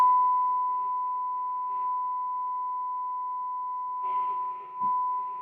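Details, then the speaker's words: Philips Model 166 valve radio during alignment with signal generator: clean steady whistle of about 1 kHz holding strong at peak output after bottom and top end adjusted; normal aligned test tone. "peak right there [Music] okay that's it we've done the bottom end we've done the top end that's it take our Jenny off and kill that noise that horrible horrible noise that we all have to put up with"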